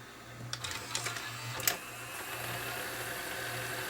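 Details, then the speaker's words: Toshiba Betamax VCR, about 40 years old, after a part was glued and left to dry: a few mechanism clicks, then quiet steady whir as the reels spin evenly; slightly noisy at first, then settling. "It's a little bit noisy there at first, but it's starting to settle down. So hopefully this will last."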